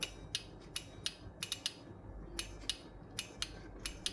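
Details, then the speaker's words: Mechanical 12 V relay with 12 V applied across coil pins 13 and 14: sharp, crisp clicks, about a dozen in four seconds, over a quiet background; relay triggering normally. "so we can hear there's a sound whenever there's 12 volt applied here, and there's a sound, which means the relay is triggered."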